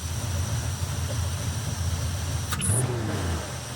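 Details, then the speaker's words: 1957 Chevy Bel Air Nomad carbureted V8 after carburetor idle mixture adjustment and timing set to 34°: deep, even, steady idle with no stumbles; previously stalled after 15 minutes and dieseled. "Wow, that's already better. That's better."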